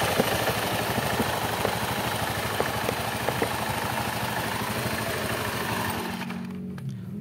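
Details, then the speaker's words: Honda Beat injection scooter after shimming the worn, thinned bore instead of replacing parts, mic close to CVT: light, even idle and revs with no rattle or knocking; CVT now healthy. "Oke sudah putaran lemah sudah tidak ada lagi suara kokokok ya kita akan coba gas dulu ya kita akan dekatkan mic ya tidak ada suara otok-otok kita akan coba gas lagi ya aman suara odok-odok hilang"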